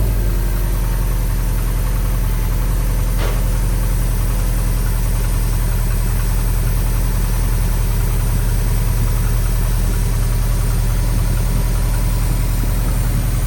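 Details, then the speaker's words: Subaru STI after an engine rebuild, at idle: a deep, even rumble with no knocking, running decently. A belt squeak and a front noise are also present, with the owner suspecting the power steering pump. "All right, well, all is well. She runs pretty freaking decent."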